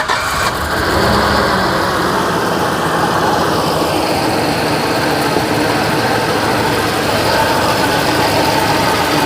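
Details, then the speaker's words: 1956 Chevy Bel Air V8 at idle: an uneven, lumpy beat with missing exhaust pulses, running like it has five cylinders. A water spray test on the headers shows two cylinders on one bank not burning off the water. Misfire with two dead cylinders. "You see that? Yeah. It's not burning off the water. So that one's dead."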